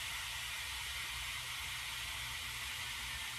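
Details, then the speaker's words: Pool pump filter refill after cleaning: steady, even hiss of air escaping through the open bleed valve on top as water flows in, tone changing as it nears full. "you notice the tone of the hissing changes as it gets closer to fall it should start squirting soon"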